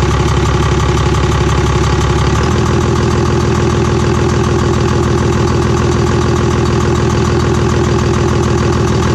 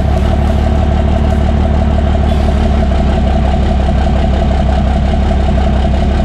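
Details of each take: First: Cummins diesel truck after a P-pump swap, running without an intake manifold: a steady clean idle with a loud, even tapping from the open intake, not a knock; it should go away once the manifold is fitted. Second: Cummins diesel truck just after P-pump swap: loud idle with rapid uneven tapping, about three per second, from the open intake; not a knock, only because the intake manifold is not fitted yet, and expected to go away once installed.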